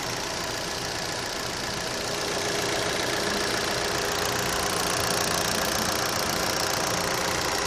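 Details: Opel Z18XER engine at idle: steady, fairly regular ticking at about three to four per second over a smooth idle; owner asks whether this is normal, cause not identified.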